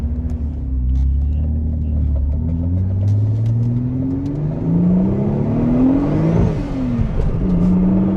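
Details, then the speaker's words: Turbo V6 Vauxhall Adam VXR built for 500 hp, front-wheel drive, Max ECU, first road drive on boost, engine only at 47 degrees: deep drone climbing through gears with a rising jet-like turbo whistle; healthy spool, wheels spinning. "Oh, it sounds amazing. That turbo sounds like a jet plane."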